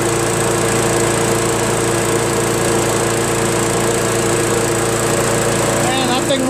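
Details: Craftsman self-propelled vac chipper with 6.75 Briggs engine after thorough carburetor cleaning and new fuel seat, restarted with fuel hose connected and no leaks: steady, even drone with constant pitch, no misses or surging; runs like new.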